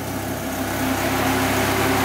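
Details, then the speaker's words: 2000 Dodge Viper GTS radiator fans after redoing bad fan wiring that had caused overheating, heard from outside. A loud, steady rush of air with a faint hum building as they spin up; the fans work and the car stays cool. "they are freaking loud but this car needs it this thing gets hot as hell this thing is nice and cool so those fans must be doing their job so i'm pretty happy"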